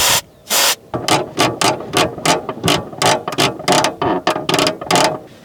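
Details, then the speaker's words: Car's clutch pedal stroked with the engine off, outdoors in wind: a dry rasping creak on every stroke, about a dozen in five seconds. Clutch cable binding; owner suspects it needs looping, replacing or adjusting. Looping didn't help, and the cable seems crooked. "But I want to find that cable right there. Maybe I can show you the sound that is annoying me."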